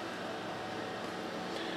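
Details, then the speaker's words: Sharp XV-Z2000 DLP projector (2004-2006) after cleaning and replacement of an exploded lamp, powered on: a steady fan hiss with a faint spinning color-wheel hum, not too noisy; normal running. "color wheel started and see the light down there coming on color wheel sounds good too it's not too noisy"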